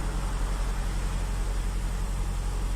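Steady low, even engine drone with no knocks or misses, running smoothly; sounds healthy.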